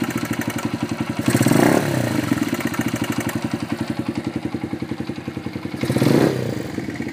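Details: FTR223 modified to 125 single, cold engine at about 220 beats a minute, with a loose mechanical clatter on each firing that swells with two throttle blips; abnormal cold-engine clatter.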